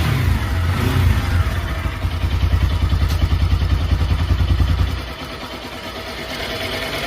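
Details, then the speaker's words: Bajaj Pulsar NS200/RS200 class bike, after tappet tick repair: revs rise and drop to steady idle with only faint even tick, slight tappet sound normal for RS; tick largely solved. "काफी हद तक हमारा यह जो शामिल है वह solve हो चुका है एंड आरएस थोड़ा सा टेपेट का साबुन रहता है पहले से ही तो यहां पर इतना साउंड वह चलेगा"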